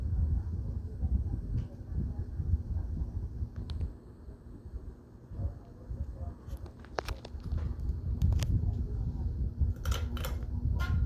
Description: This is a fairly noisy ceiling fan whenever it's on Low & Medium.